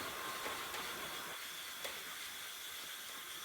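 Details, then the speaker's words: Junior dragster flywheel hand-lapped onto crankshaft taper with valve lapping compound: soft gritty grinding hiss with faint clicks that fades as compound squeezes out, grinding harder again when spun the other way. "and then if you just listen to it you can kind of hear the compound getting squished out and uh and it's not grinding anymore so then take it off put it back on spin it the other way you'll hear it grinding a little bit harder and then it goes away again"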